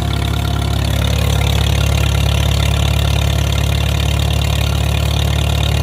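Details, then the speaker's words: Farmall M tractor engine running normally after re-crimping a loose wire, testing a new double fuel-filter setup, not yet under load: deep, even throaty thump holding steady speed with no misses or stumbles. "Now we can check out how the filter's working. I should say multiple filters. Sounds nice and throaty."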